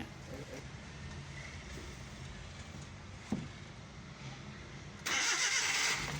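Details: 2012 Mazda/Suzuki Every petrol engine with check engine light and P0303 cylinder 3 misfire, after repair: steady even idle with low drone, a single knock and short hiss burst; runs smooth and healthy.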